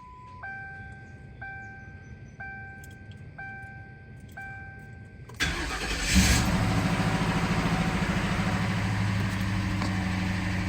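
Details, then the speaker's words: Ford Crown Victoria V8, first start in two months after welding work (owner feared arcing a rod or main bearing): cranks after warning chimes, catches quickly and settles into a steady, even idle with no clatter or ticking. Normal idle. "Yep this thing's ready to roll I'm going to give it some uh little bit of idle time before it starts moving again"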